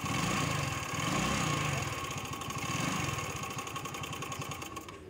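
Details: Mahindra Flyte scooter, in a kick-start and self-start repair: the small single-cylinder putters at a steady, even beat with no knocks or rattles before shutting off. Healthy idle.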